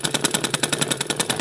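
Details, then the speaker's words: Old black Flying Doff (Singer/Butterfly-type) sewing machine: harsh rapid metallic clatter about nine or ten hits a second, from a take-up cam (kepala kambing / gula-gula part) worn from long use. "faktor pertama itu biasanya mesin yang sudah suaranya kencang sekali atau berisik sekali itu ada di kepala kambingnya atau bagian gula-gula ini"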